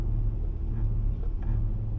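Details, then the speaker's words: Chevrolet 2500 Express van with power steering and Hydroboost problems, driving: low steady buzzing hum under engine rumble while braking, possibly the Hydroboost brake booster; owner suspects the noisy power steering pump. "Of course, it may be maybe because I'm hitting the brake now and the Hydroboost is buzzing."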